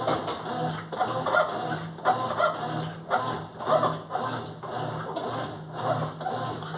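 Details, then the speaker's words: Consul washing machine agitating: rhythmic chirping squeak about once a second from the mechanism between shaft and tub, indicating a dry, unlubricated agitator shaft seal (retentor); water has already started passing it. "parece que é uma falta de lubrificação existe o conjunto mecanismo ele tem um entre o eixo e o tubo aí ele fica fazendo essa zoadinha aqui tá aí essa zoadinha já tá indicando que o retentor não tá lubrificado"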